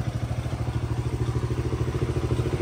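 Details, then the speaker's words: Polaris RZR 170 after motor rebuild: rough small engine with a fast, even chattering about ten beats a second over the exhaust; clutch suspected, chain also needs replacing, unconfirmed. "you hear it starting to chatter now the wi oh the clutch could be making that noise"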